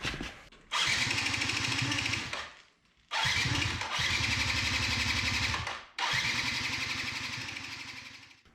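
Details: 2005 Yamaha YW50 Zuma 50cc two-stroke, first start attempts: three tries, each catching and buzzing about two seconds then dying; engine starts then stalls, owner suspects a spark or ignition coil issue, not confirmed.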